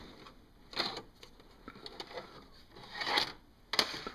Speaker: This is my VCR. The tape will not go